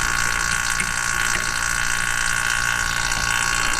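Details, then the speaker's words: Vacuum pump evacuating lines of a Mr Cool Advantage 12K mini split: steady even drone, no straining, after 44 minutes reaching 260 microns, about to close valve and shut off; normal. "we're at 260 microns and that seems to be as low as we're gonna get we've been vacuuming for 44 minutes"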